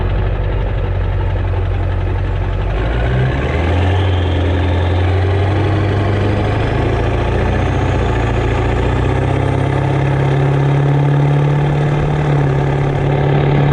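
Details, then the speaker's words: Ford 7.3 Powerstroke diesel with a rebuilt upgraded larger later-model turbo and 4- or 5-inch exhaust, otherwise stock; steady clatter with a faint whistle rising as revs lift on light spool-up; normal, clean turbo whistle. "I believe it has a 4-inch or 5-inch exhaust on it, and that's Whistle on light loads. I don't know if you guys can hear that, but on spool up it sounds great."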